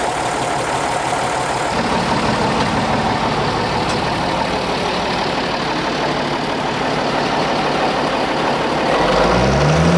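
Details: Minneapolis Moline G1000 tractor after cylinder reboring and head work, first startup, possibly not yet warmed up: settles into a steady, even idle with a deep regular beat, no knocks or misses; sounds healthy.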